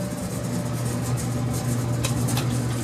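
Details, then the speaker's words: Freshly installed gas clothes dryer, relocated from another location, on a 110 V outlet, run on the cotton cycle with the outside vent blowing air; steady low drone and blower rush, a click as the burner ignites and flames up; normal running, drum gets hot. "And I don't know if you heard it, but this thing made a little click, and you can hear the fire flame up. So it should be heating."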